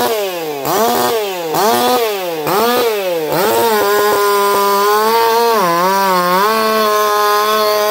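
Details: Echo CS4910 chainsaw, experimental taper-top piston/crank swap, about 6° ignition advance, running a little warm with compression near 180 psi cold and 160–170 warm. Under cutting load the revs scream and dip cleanly about once a second, with no popping or four-stroking; pulls strongly.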